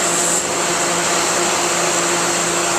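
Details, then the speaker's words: 2011 Thermal Care NQA15 15-ton air-cooled chiller, R410A scroll compressor, at light load near setpoint, hot gas bypass at 100% unloading. Constant loud hiss over a faint steady hum, no surging: normal bypass flow. "but it's behaving as it should with how it's set up here that's a 100 of the hot gas bypass or as the screen uh the screen indicates here uh unloading"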